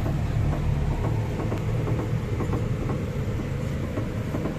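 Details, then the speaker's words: 2007 Honda City front suspension, steering turned slightly side to side: irregular light clunks and ticks over a low rumble from worn stabilizer Z-links; disconnecting the link stops the noise, links to be replaced. "these Z-links when moved make strange noise so now we will replace these Z-links so to solve steering movement noise"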